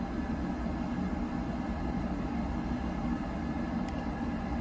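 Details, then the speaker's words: Buderus G115 triple-pass boiler after cleaning service: low constant roar with steady hum, no pulsing, rumble or rattle; burner runs very quietly and fires cleanly. "I think it looks pretty good. Thing runs so quiet. It's nice."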